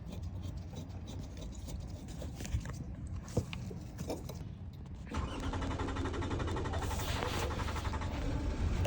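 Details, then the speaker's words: UK Toyota Alphard/Vellfire Japanese import after fuel filter and fuel pump replacement: quiet, then the V6 catches at about five seconds and settles into a steady, even idle with the pump working; normal start. "the car just starting there."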